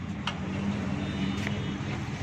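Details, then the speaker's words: Mini Pajero after repairing a disc brake whose caliper had broken, damaging the wheel rim: a steady low vehicle hum with no grinding, scraping or squeal; the brake noise is gone. "दोस्तों ये देखें, अभी इसकी आवाज़ ख़त्म हो गई है।"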